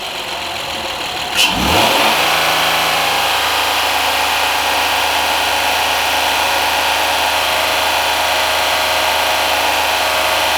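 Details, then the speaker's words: 2010 Honda Accord 3.5 V6, after spark plug and coil pack replacement fixing a misfire with flashing check engine light; revved high, it climbs and holds with a smooth steady tone, no stumbles or pops; P0171/P0174 lean codes await a new intake boot. "I guess it sounds good. Whatever, it sounds pretty normal. Let's give it some gas and rev it up high."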